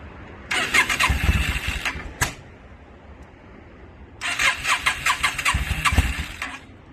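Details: 2002 Yamaha V-Star 650, newly bought, possibly needing a full tune-up, on choke; two rough cranking bursts that catch, stumble with popping and die, flames from the exhaust. Hard starting, owner suspects too much fuel, flooding.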